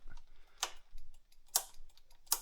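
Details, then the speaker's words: 1985 Honda CB1100F motorcycle sitting 20 years in a barn, on jumper cables before first start: three crisp, evenly spaced turn signal flasher ticks, about seventy a minute, in a quiet room; normal turn signal flasher operation. "Turn signals work."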